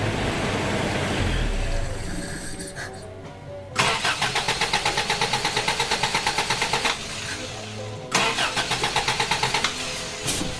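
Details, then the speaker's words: Toyota Hilux with electronic ignition in place of points, which ran and then wouldn't restart after shutoff: the starter cranks with a rapid, even chug about three per second but it never fires; the owner suspects lost keyed 12-volt feed to the ignition coil. "all right well what I think is happening is that I've got to issue with my constant twelve volts that is keyed switched to the ignition coil because you can hear it like there is no starting like while I'm cranking the motor there is no starting that motor whatsoever"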